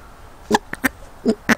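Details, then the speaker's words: Standard 8's mechanical petrol pump, which had caused a breakdown, reassembled after its diaphragm and arm linkage were refitted, held to the microphone: five crisp, even squelching pulses, one per arm stroke, which hopefully means the pump works again. "Hopefully the microphone's picking that up, but that is the sound of what is hopefully a working fuel pump."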